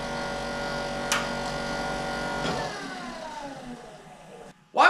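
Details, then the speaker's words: 1968 Ford Mustang convertible blower fan during restoration, reinstalled after sanding to stop rubbing; now a smooth steady hum with no scraping and an even wind-down when switched off: normal blower operation. "You hear how it smooths out? Look, man. That's how it should sound."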